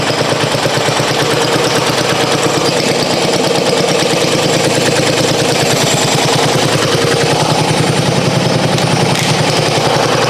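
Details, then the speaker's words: 1994 Coast to Coast riding mower with Briggs & Stratton single-cylinder, abandoned for years, new spark plug, unknown-age gas: steady, even chugging with no misses or knocks; normal running. "That's absolutely nuts. I never, in my wildest dreams, expected that thing to start like that."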